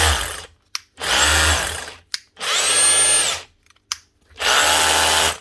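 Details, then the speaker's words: Makita DHR202 18V cordless brushed SDS drill from 2016, which was losing power, after a new armature, brushes, holder and caps. Three trigger pulls spin up cleanly and wind down without grinding or stutter: running normally. "that's her up and running again not so bad 2016 machine"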